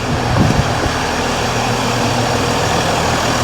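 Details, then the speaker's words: Mercedes ML350 with a rebuilt replacement engine, just after first start: steady even idle with a smooth low rumble, no knocks or misses; engine sounds healthy, slight squeak from somewhere. "Just listen to it. It sounds great. There's a bit of a squeak from somewhere."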